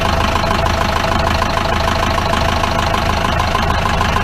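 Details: 1953 Mercedes 170D (W136) four-cylinder diesel, once-seized restoration project, idling and recorded at the rear "business end": hard, rapid clatter about two per second and smoke; owner suspects worn injector nozzles, unconfirmed.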